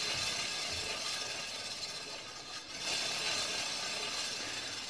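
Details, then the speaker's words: Kawasaki Ninja ZX636 (ZX6R) during rebuild, front wheel hand-spun before caliper removal: gritty, hissing scrape with light rhythmic rasp each turn; sounds dirty, owner unsure whether the front brake calipers or dirt in the axle or bearings is the cause. "that's sounding pretty dirty um so I'm gonna get these brake calipers off I don't know if there's dirt or something down in the in the axle and the bearings I'm not sure"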